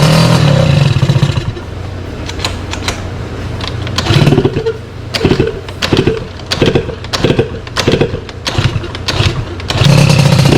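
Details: Sym DD50 moped with freshly built Polini Corsa Mini engine, after check-over and jetting corrected: small two-stroke crackles into steady idle, takes quick blips and settles cleanly; normal idle and revving.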